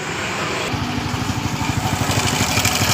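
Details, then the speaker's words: Honda Grand motorcycle engine running with a light, even ticking about three times a second from the left side of the engine. The cam chain was found very loose: cam chain ticking. "makanya suara menggelitik di bagian mesin kirinya ini untuk memperjelas lagi sekali lagi coba kita hidupkan"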